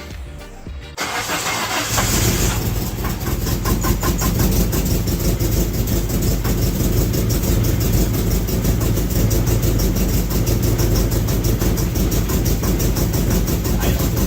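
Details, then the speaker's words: 1996 Mitsubishi Eclipse at first start-up after reassembly: catches and settles to a low, uneven idle with a rhythmic knock about three a second; sounds like rod knock, though bottom end untouched; belts possibly rubbing, source unconfirmed. "that sounds like bottom end noise what do you think Mister do it sound like a rod knocking but I know it's not because we didn't touch that"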